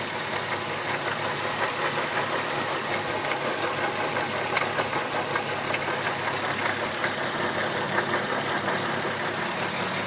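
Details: MK4 12v VR6 at idle with light, uneven tapping at about two to three per second over a steady hiss; knock present, source not pinned down.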